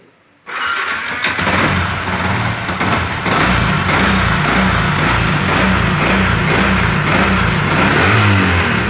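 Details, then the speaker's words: Yamaha MX King engine, previously ticking in the cylinder head from a floating valve caused by a high-duration camshaft, after head work: starts first try and runs smooth and even, no top-end ticking; smoother than before. "Oke teman-temannya, untuk suaranya cukup mantap ya, lebih halus daripada yang tadi ya."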